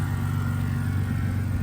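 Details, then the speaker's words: BMW E82 drift car on cold start after the no-start fix, misfiring the day before: steady, even low rumble at idle with no stumble or skipped beats; idles fine and stays running on its own. "He's on top of the game. But there it is. Idles fine. Runs good. Stays on on its own."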